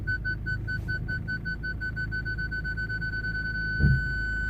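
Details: Quick high beeps running into a steady tone as the Jaguar X-Type drives forward toward another car, after parking sensor repair and cleared codes; parking sensor buzzer working properly.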